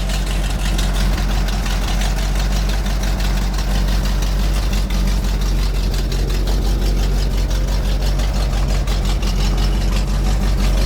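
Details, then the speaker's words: 1975 GMC C6000 with 350 V8 and 5-speed, first start in 10 years. Idles low and uneven, stumbling and surging as if starving for fuel. Not pulling fuel well, and it might need an accelerator pump. "really not pulling fuel very well [Music] there's not a weak pump"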